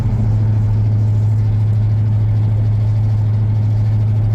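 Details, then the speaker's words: 1994 Ford F-150 V8 running badly, shaking the cab in low gears; deep, uneven rumble with an irregular loping beat, spark plugs already replaced, owner suspects an injector, later confirmed bad: engine misfire. "this sucker is running like crap tell you what it is"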